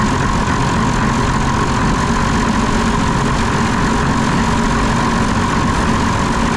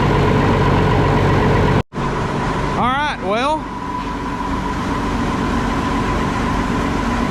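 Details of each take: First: Diesel engine on concrete pump, injector lines cracked to check for air: loud ragged uneven beat when throttle screw adjusted; air in fuel from failing lift pump, later replaced. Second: Cold diesel concrete pump engine running after replacing the old lift pump suspected of sucking air into the fuel system and cracking fuel lines to bleed air: settles into a steady, even run with no hunting or stumble, already sounds better.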